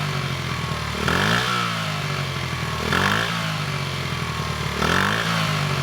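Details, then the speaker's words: 1974 Honda XR75, 48-year-old single, air screw 3.5 turns out, choke a third closed: lazy blips every two seconds, slow to fall, rough; not crisp, burning oil, oily plug, owner thinks worn engine needs rebuild. "it's still not quick and crisp and it's definitely burning a lot of oil"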